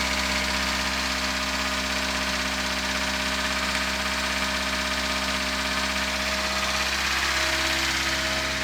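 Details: 1976 VAZ 2106 Zhiguli, engine after full rebuild with all parts replaced or repaired. Steady idle with a light regular knock about three a second, heard especially well from a distance from the car; knock at idle, cause unclear.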